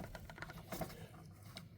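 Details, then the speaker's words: 2011 Dodge Journey SXT at idle: an irregular light clicking rattle that seemed to come from behind the dashboard. Caused by two hot-water heater pipes rubbing against each other at the firewall. "the thing is these two pipes were frictioning one each other so I was about to have a catastrophic failer"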